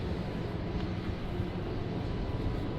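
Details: Fire-damaged Porsche 911 GT3 flat-six, first start after rebuild: deep, even rumble with no knocks, misses or rattles; normal idle.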